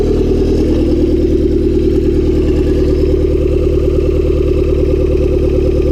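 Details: Honda Civic D16Y7 turbo (skunk2 inlet, Mishimoto intercooler, T3 top-mount manifold, Bosch 550cc injectors), cold start the day after spinning a rod bearing shell: loud, hard, uneven clattering knock about three per second over idle; no oil light, engine declared finished.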